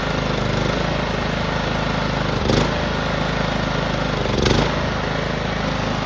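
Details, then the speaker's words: Toro LX 427 riding mower single-cylinder engine after replacing a leaking carb with a new one: now starts under its own power but speed rises and falls every couple of seconds; surging, cause unknown, fuel line looks good. "So, we got an improvement, but it seems to be surging a little bit."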